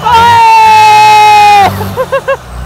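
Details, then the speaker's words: Bus started after being buried five months, engaging gear: loud steady high whine sags and cuts off as gear goes in, then short chirps; gear sounds strange; cause unknown. "ओ तेरी अरे यार कुछ दिक्कत है क्या gear में इसका gear बहुत अजीब आवाज आ रही है"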